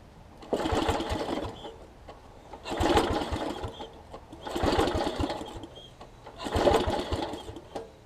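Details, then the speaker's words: Small engine from a traded mower or outdoor-power equipment set. It surges and sags in bursts about every two seconds and runs rough and uneven; the owner suspects a bad spark plug and plans to try another. "oh sounds like oh almost sounds like a bad plug i might try a different plug real quick see if that helps any"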